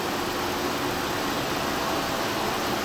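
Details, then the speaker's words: 2012 Mazda 6 3.7 L, cold engine just started: radiator cooling fan runs almost instantly at high speed, pulsating and speeding up, also staying on after key-off; temperature gauge normal; faulty fan control module, fixed by replacing module. "It started up and almost instantly it's going up to high speeds, and then it'll run like that and pulsate, and you can kind of hear it picking up right now."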